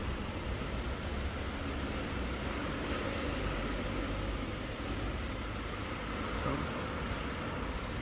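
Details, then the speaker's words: Kia K7 3.0 LPI V6 on its first cold morning start, idling with an uneven stumbling shake as the check light flashes; cylinders 5 and 6 misfire, worst on 6, with code 4; compression was low on 2, 4, 6, lowest on 6; intake control valve suspected. "그리고 지금 부조하는게 5번 6번이지 5번 6번이 부조를 하고 제일 많이 부조하는 건 6번이 부조를 하긴 하는데"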